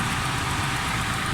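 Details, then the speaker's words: Suzuki Alto 1000cc that had been losing a lot of coolant, after head work and refitting of the timing belt, restarted: a steady, smooth idle with no misses, bubbles or pressure in the coolant. Normal idle. "गाड़ी बिल्कुल smooth है, still है गाड़ी, ज़बरदस्त smooth है।"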